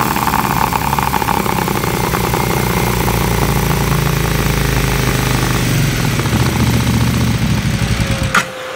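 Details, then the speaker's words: 2008 KTM 990 Adventure S V-twin, 6,500 miles, sat for years, after TuneECU adaptation reset: holds loud steady revs, then cuts out abruptly once throttle is fully released; stalls on closed throttle, cause unknown. "As soon as I let the throttle all the way off, it died."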